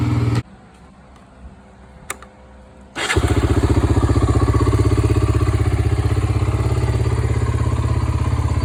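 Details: 1993 Honda 300EX ATV (first year, electric start) after a revival and reassembly: the starter churns briefly, then the single fires and settles into a steady, even thumping idle with no misses.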